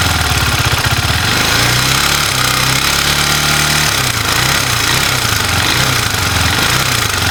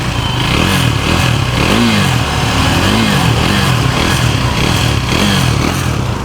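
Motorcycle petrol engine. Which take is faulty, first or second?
first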